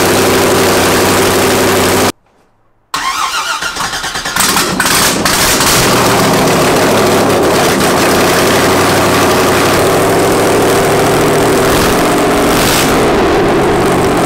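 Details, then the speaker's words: Mazda FD RX-7 with rebuilt 2002 LS6 V8, Trick Flow cam, first start with no headers fitted; brief crank, catches at once into a loud, steady, even idle with no misses or knocks. Normal start and idle. "all right guys and that is what marca sounds like the car fired up no problems holy opening had a v8 actually no no header v8 that thing is ridiculously loud"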